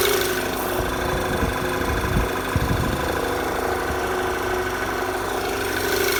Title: Knocking noise VW Tiguan